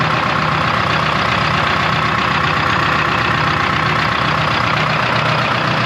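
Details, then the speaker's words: 1976 Ford F250 with a 453T Detroit Diesel swap and 4-speed manual, first start after sitting since 1996: steady, even, crisp idle with no knocks or misses and little smoke. It runs great, though oil pressure reads low. "well at least it runs oh smells good and it runs like really nice actually it's I'm shocked it's not like super Smoky like runs [Music] good"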